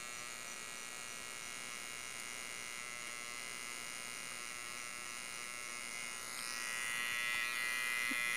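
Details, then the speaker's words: Homemade 12V to 220V inverter with small transformer and MOSFETs, running: steady, high, thin electrical buzz growing slightly louder; attributed to the transformer's construction, not loose screws, MOSFETs not overheating. "Então nesse vibrados barulho bem alto aí é devido ao próprio transformador o feitio do transformador só pessoal ó e ele tá funcionando ali tem esse barulhinho aí né"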